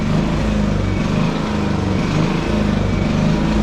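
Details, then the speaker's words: 11-year-old Champion generator in an RV, fully warmed up: engine speed rises and sags about once a second in steady hunting; idle surges, owner suspects carburetor issue or wear, unconfirmed. "And there'll be a little bit of a surge when I plug the van in, but that window unit is such a little bit of power. It surges for a minute when I first plug it in."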